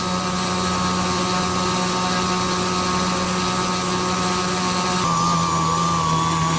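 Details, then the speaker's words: Super Chipmunk RC with a Castle Talon 25A ESC, Rimfire 400 brushless motor and APC 9x6 prop, about 24 minutes into a half-throttle run. The steady, high motor whine wavers and sags as the battery runs low and the speed controller starts shutting down. "Now we're beginning to hear some power loss from the motor. Seems the speed controller starting to shut down."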